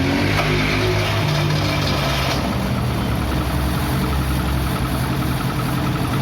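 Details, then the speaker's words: Chevrolet Celta VHC-E engine just after start, before complete rebuild: uneven idle with deep knock following engine speed and difficulty revving; attributed to internal wear in connecting rod and main bearings, crankshaft play and pistons. "então eu espero que vocês tenham conseguido ouvir esse barulho que tá aqui fazendo Esse motor esses barulhos Eles são de folgas internas bronzina de biela bronzina de mancal pistões"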